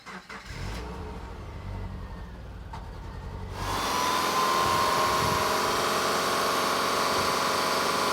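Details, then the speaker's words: 2009 Subaru Forester after engine pull, full gasket reseal and timing belt kit: short crank, clean catch, then smooth, quiet, even idle with no knocks, ticks or rattles; normal start and idle, oil leaks fixed. "You can hear it. Nice and quiet now. No more engine leaks."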